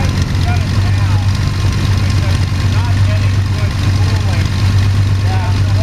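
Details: Sonex homebuilt aircraft, Jabiru 3300 six-cylinder engine with Rotec TBI, about 50 hours, first engine start after throttle set a quarter inch and mixture full rich; EGTs 700-800F; steady low drone, even firing, no knocks or rattles, healthy idle.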